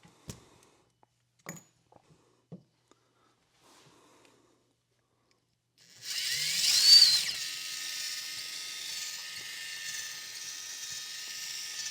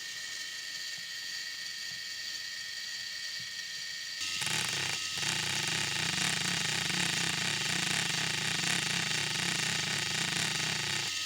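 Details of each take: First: RC crawler axle, the side with the proper ball-type CV joint, steered at an angle: after a few light taps, a steady high-pitched whir with faint grit comes in as it spins evenly. It is running normally with no speed fluctuation. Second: RC crawler axle "CV" joint recorded with an extra mic: a steady whirring gear train turns harsher and pulses "wah-wah" once steered hard, worse with more angle. The joint speeds up and slows repeatedly per revolution, non-constant-velocity like a universal joint.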